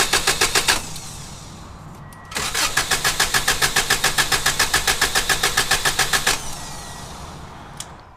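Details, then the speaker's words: 1994 Subaru Legacy Touring wagon, EJ22T, 341k miles, never rebuilt, compression test with injectors unplugged, gauge in cylinder four plug hole: two bursts of brisk even cranking, strokes alike; still perfect compression. "so that's number four so after 340 1,500 miles it's still got perfect compression"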